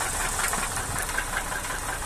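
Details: Nissan Cefiro petrol engine idling at low rpm, with a light repeated knock heard from the top of the engine; cause of the knock unknown.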